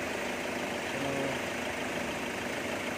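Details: Hyundai Santa Fe diesel that wouldn't start, found to have a burnt ECU with injector calibration done: steady, even idle with no knocks, misses or hunting; healthy and settled.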